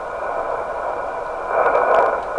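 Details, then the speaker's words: Heathkit SB104A transceiver during D board (HFO/premix) alignment: the receiver comes to life, a steady hiss that swells after about 1.5 s; radio fixed, passing band noise. "It's come to life. Hey, I fixed the radio. I finally actually fixed something."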